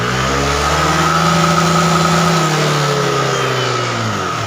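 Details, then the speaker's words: Yamaha Aerox injection scooter that blew its 7.5 A headlight fuse and lost all electrics when revved past mid-throttle, from a pinched wire; here a smooth climb to full throttle and clean drop back, no cutout. "Nah Tadi awalnya ke sini itu tiga separuh saja skringnya langsung mati ini enggak enak ini gas mentok enak ya"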